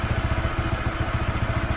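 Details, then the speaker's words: Honda PCX 160 scooter, new and not yet broken in, with a low, lumpy idle pulsing near 8 a second and a slight clatter, close to stalling; the owner suspects it is starved of air, fuel or spark, possibly the idle air setting. "an tutok lang natin maya-maya mamamatayan parang kinapos sa hangin kinapos sa gas Paano ba kinapos sa kuryente"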